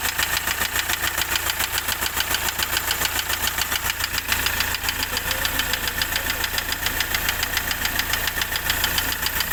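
Steady idle with a quick, even tapping riding over it at roughly three or four knocks a second; a knock from inside the engine. Cause suspected, not confirmed.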